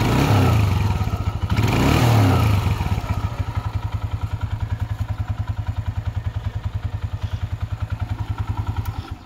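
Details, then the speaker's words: Honda CG125 single-cylinder after restoration and upgrades: quick blips settling into an even beat near 200 per minute, no top-end ticking; previous tappet noise gone, healthy quiet engine. "लेकिन engine बिल्कुल silent हो गया वो जो sake सिक सिक सिकिक की आवाज आ रही थी वो चली गई टैपस की आवाज थी वो चली गई"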